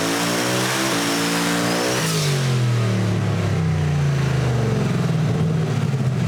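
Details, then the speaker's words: Camaro with an almost 2,000 hp engine, timing cut by 6 degrees and some boost added: strong, clean full-power pull with the note climbing smoothly through each gear, no misfire or stumble, before an early lift. "Going pretty fast. I actually lifted early."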